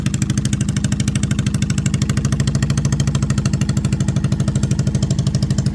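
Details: 2002 Yamaha V-Star XVS 650 after sealing carburetor and fuel petcock leaks: even, regular V-twin thump at steady idle with no misses or knocks; engine running healthy.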